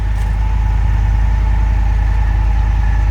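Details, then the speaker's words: 2013 access-cab salvage truck at Copart with 120,000 miles and rear-end damage, started by remote. After a slightly rough start the idle is a steady, even low rumble with a smooth firing pulse and no knocks or misses; sounds good. "not bad engine sounds good kind of it's not bad honestly not too bad"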